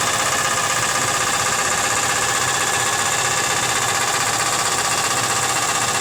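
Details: Nissan Z32 engine after engine work, slight tick that quieted then returned: steady light ticking about three per second over smooth idle; owner unsure if rod knock or bad lifters, cause unknown.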